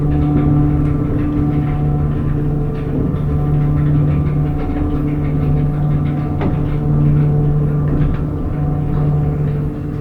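Steady low hum with a thin, even whine held throughout the run, no knocking or grinding; the elevator pump motor sounds healthy.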